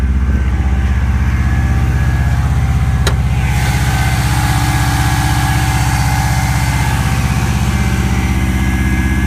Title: Bad noise part 2 - cold start sounds like this until 160-170* and up